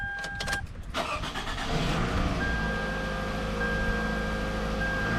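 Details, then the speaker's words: 2005 Toyota Camry LE 2.4 L automatic that had a check engine light and rough running, started after replacing the number 3 ignition coil: brief cranking catches cleanly into a steady, even idle with no stumble; now runs smooth. "Now it's running really smooth. Okay, so the vehicle runs good."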